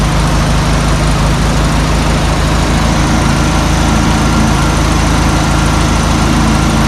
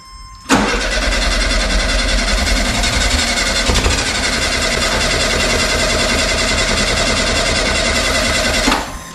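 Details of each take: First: 1972 Volkswagen Super Beetle, first run after about 20 years in storage, following carburetor cleaning: a deep, steady air-cooled chuffing at idle with an even beat and no misfire or knock. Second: 1972 VW Super Beetle stored about 20 years, fuel line just hooked up: the starter spins the engine steadily for about eight seconds with no firing. It cranks but won't start because it isn't getting fuel.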